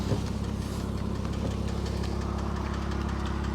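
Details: Porsche Cayman S with a known engine issue, idling after a drive, owner checking for smoke: steady idle with a light fast chattering tap, fairly even rhythm; same recurring noise, cause not pinned down.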